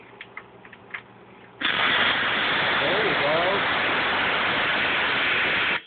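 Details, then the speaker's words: Roland JX-1 keyboard with intermittent power-up: at switch-on a sudden loud steady hiss of noise for about four seconds then cuts out; suspected failing Sanyo voltage regulator/reset part, unconfirmed. "didn't that sound lovely and now it's working again"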